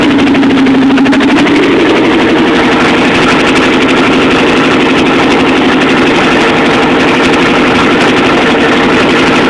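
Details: Chevy 350 V8 in a school-built T-bucket, first start-up after rebuild: loud, choppy idle with a slightly uneven lope and much mechanical clatter, but running fine; normal running.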